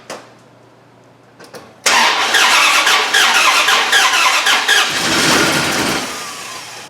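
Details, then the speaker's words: Dodge Ram 1500 with replacement 4.7 HO engine from an 03-04 Jeep Grand Cherokee, JTEC ECM mismatch, first startup: odd uneven cranking, fires and runs rough a few seconds then stalls; cause unclear, rattle noted. "well that sounds weird but it started right up why is it cranking like that started and then stalled"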